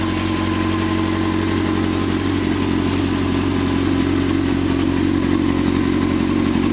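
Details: 2006 Honda CBR600 F4i motorcycle at idle: light fairly regular tick about three per second over the engine; source unclear.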